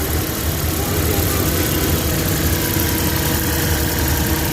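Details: Suzuki Big Eye F6A fuel-injected engine, after fixing low power, throttle delay and engine vibration: smooth even low idle, no shake, misfire or hunting; normal idle.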